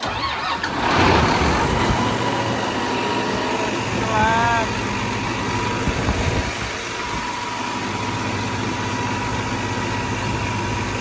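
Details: Combine diesel readied for wheat harvest: cranks briefly, catches and settles into an even, steady idle with no knocks or misses. A clean, healthy start.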